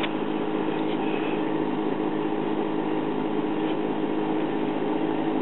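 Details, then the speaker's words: Late-1940s PAL 78 rpm child's record player on first power-up before overhaul: constant rough mechanical rumble with low droning hum, steady pace; turntable turns but drive is too noisy and needs mechanical work. "well it turns but obviously it's going to need some mechanical help it shouldn't be that noisy"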